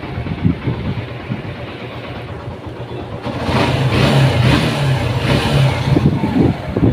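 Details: Suzuki Gixxer Street Sport, self-start noise problem after repair, started with clutch held: single-cylinder putter at idle, then a smooth rev up and hold with no starter whine or rattle; noise gone, engine runs cleanly.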